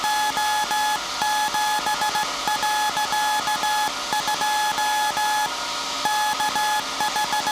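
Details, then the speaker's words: SAQ Grimeton 1924 Alexanderson alternator, 17.2 kHz VLF CW centennial transmission, punched-tape transmitter soon handing over to manual telegrapher keying; clean steady tone keyed in short and long beeps; normal, healthy CW transmission. "We will soon uh stop the uh punch tape transmitter and the tire will take control of the transmission."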